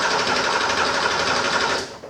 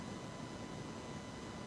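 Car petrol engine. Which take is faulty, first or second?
second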